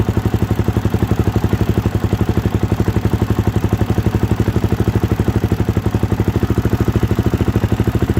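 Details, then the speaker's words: 2013 Suzuki DRZ400SM single-cylinder, first start after coolant flush and new fluids; even steady thumping, no knocks or stumbles; healthy idle, owner sees no leaks and no need to adjust idle. "My idle is pretty good. I don't think I have to adjust this anymore."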